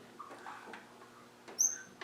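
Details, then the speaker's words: Land Rover 300Tdi engine turned slowly by hand, glow plugs out, no injector power, no vacuum or fuel pump: single sharp high squeak from the valve gear, traced by backing off rockers one by one; valve train squeak. "did you hear that yes sounded well squeaky it did didn't it right ready squeak be gone that's it that's the one it's that one isn't it"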